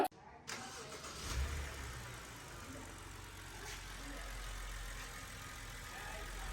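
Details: BMW after tune-up, mismatched spark plugs (two of one brand, four of another) replaced to fix misfire, filters changed: quick start, then quiet smooth even idle with no stumble; engine firing cleanly on all cylinders.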